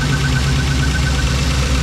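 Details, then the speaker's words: Custom overhead-cam Chevy LS conversion for a '32 Ford, first startup after fuel issues: loud, lumpy idle with slightly uneven low beat through the exhaust; still sounds like a miss, suspected not confirmed. Rough idle. "Still sounds like got a miss."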